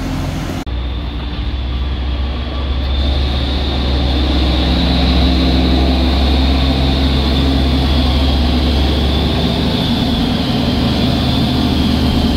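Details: Truck on the Sitinjau Lauik road: a deep, rhythmic helicopter-like chopping thump at about four beats a second rides over the heavy diesel rumble; cause undetermined.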